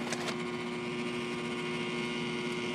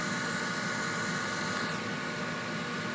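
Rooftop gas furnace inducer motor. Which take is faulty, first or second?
first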